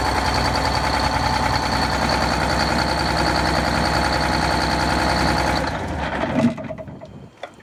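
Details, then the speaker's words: Cold diesel bus engine clattering with an uneven, lumpy beat for several seconds before dying away, smoke present, not yet firing on all cylinders; start attempt fails and is repeated. Misfire on cold start. "so look for this to stop flapping around and the and the smoke to lessen away and you'll you'll hear it it'll do this like o'clock o'clock o'clock or whatever"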